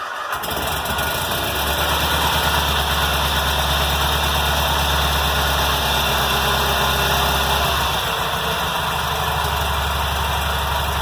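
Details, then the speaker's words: 1990 Cub Cadet 1882 Kohler M18 twin after muffler repair, new air and fuel filters, new plugs and fresh fuel replacing stale watery gas: catches fast, settles to steady idle with faint unevenness; starting improved, slightly rough idle. "Well, that sounds better. That's the starting a little better. Still got some. it definitely helped."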